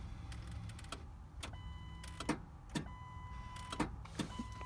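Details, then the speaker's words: 2000 Ford F250 with a good battery: single sharp click from the starter per start attempt, dash chime between, engine never cranks; suspected stuck or bad starter, to be tapped with a hammer, unconfirmed. "hey guys so this is a 2000 Ford f250 and I know the battery in it is good but when you try and start it you can hear this clicking sound"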